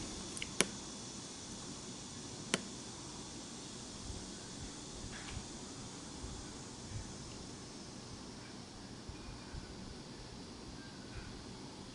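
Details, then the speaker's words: Chrysler Sebring engine bay, low-speed fan selected: the relay clicks every few seconds, so its control side works, but the cooling fans don't run and no fan whir starts; the load side is checked next. "Okay, you can hear the relay is clicking, but the fans are not working."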